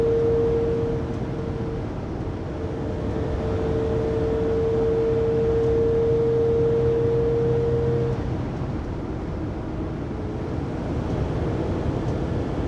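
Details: 2020 Pleasure Way Plateau FL (2019 Sprinter 3500XD), recorded in cabin by phone at 80–90 km/h after drive shaft and differential replacement: clear steady high whine over road rumble, rising and fading with load; driveline whine, source undetermined.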